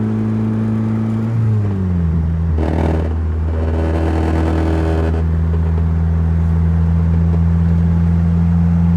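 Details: Turbo Mazda Miata: idle drops, then a short rev blip brings a loose metallic rattle before it settles back to a smooth idle; owner wonders if low washer fluid is the cause.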